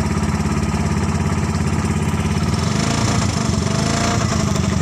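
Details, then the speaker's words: Engine from a Thunder 125 motorcycle fitted to a converted Suzuki Carry pickup, exhaust only a bent motorcycle header with a plain pipe; just started, quick even putter around three beats a second, no knocks; normal warm-up idle, warms quickly. "Suaranya masih suara mesin motor karena memang pakai mesin motor dan knalpotnya hanya pipa lah teman-teman, bukan knalpot mobil."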